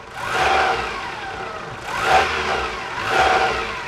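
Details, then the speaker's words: 1998 Camry, about 157,000 miles, just after a timing belt, water pump, oil pump and pan gasket job: three throttle blips, each with revs climbing a beat late before falling back to idle. Hesitation of unknown cause. "sounds like she's running okay the timing belt stuff is definitely not as loud as it was before [Applause] so it's got a little bit of a lag see"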